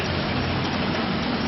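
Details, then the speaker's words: Industrial unit with exhaust fan: steady watery rushing gurgle over the fan hum, like water being drawn up, because the piping is broken; not a normal sound, would not be heard with intact piping; gurgling from broken piping. "Well, no, it's not a normal sound because the piping is broken. It sounds like it's got water going everybody, but it's not."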